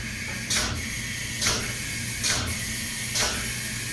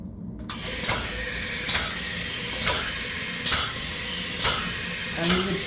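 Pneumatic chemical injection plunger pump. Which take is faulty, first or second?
second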